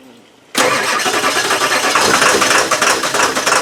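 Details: Ford 7.3 diesel, cold: the starter grinds steadily at about three turns a second with no firing; cold crank no start.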